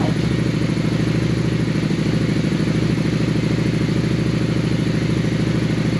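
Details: 2001 Honda Shadow VLX 600 V-twin after carb clean, airbox off, pilot screw adjusted to highest idle speed, three turns out: steady even loping thump about two and a half beats a second, no misses; idle healthy.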